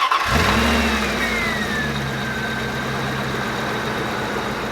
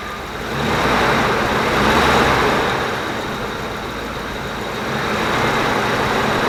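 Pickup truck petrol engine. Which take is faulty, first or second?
first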